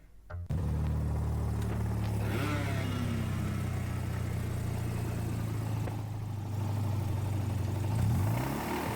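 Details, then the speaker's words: Mazda 13B rotary engine (RX-8/RX-7 FD teardown); rough uneven low rumble at steady idle with dull irregular pulsing; heat has melted the bearing inside, a car sounding like this has the same bearing failure. "Um, that's going to be the worst point. You can see the heat has melted the bearing inside."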